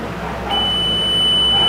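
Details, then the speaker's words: Voyager 600 W on-grid inverter repair, multimeter continuity test across a removed MOSFET: a steady, unbroken beep. Two of the four MOSFETs were burned and are to be replaced; the MOSFET is shorted. "vamos lá vão botar aqui o nosso multímetro falar teste de continuidade no meu caso com bip esses dois aqui olha"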